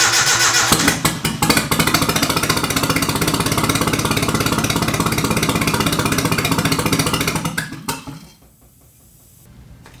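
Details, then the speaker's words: Nissan 240SX KA24E turbo on a MicroSquirt ECU, first start: uneven, stumbling idle with missing pulses, then it dies. Cylinder readings were 88, 88, 93, 93; the front two are suspected not firing, possibly injectors, with timing also a bit off. "we've got 88 88 93 93 so I think these front two aren't firing could be an injector [Music] issue I think the timing is a little off"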